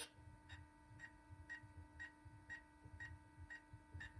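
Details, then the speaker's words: 2004 Toyota 4Runner V8 Limited, 246,000 miles, during transfer 4WD actuator replacement, ignition on, in neutral; steady dash beeps, two per second over faint hum, because center diff lock is not engaging although 4WD works. "And center diff lock's not grabbing. That's why it's beeping."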